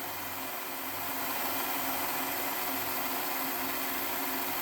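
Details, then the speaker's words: Hornby Class 57 model loco, previously dead, repaired and on rolling road at about 11 V, current just below 0.1 A; faint even hum with steady pitch, no catches or rattles; motor running healthy. "okay folks here we are now we've got the model on the test bed and we'll just turn on the controller and you can hear she's running"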